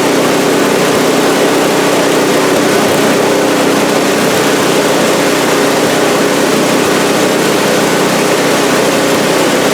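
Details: Scrap-heap snowblower after its carburetor, which held sludge like used motor oil, had the fuel bowl cleaned and the jet flushed with carb cleaner: a small single-cylinder holds a steady, even run with no surging, misses or stumbling. It is running normally.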